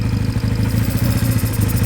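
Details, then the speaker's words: Hoses being blocked off to check for air: lumpy, uneven stumbling idle; split hose found as the vacuum leak, to be replaced or blocked off. "there you go hear that so we found we found we found our problem there straight away"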